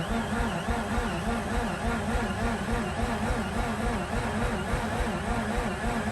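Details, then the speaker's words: Mazda RX-8 with a fuel leak, not starting, on a replacement battery with clutch pressed: starter churns sluggishly at about two beats a second for around 40 seconds without catching; slow cranking, battery suspected weaker. "better i'm giving it 200 amps it sounds weaker than what it was all right that's like 40 seconds of cranking not a really good first crank"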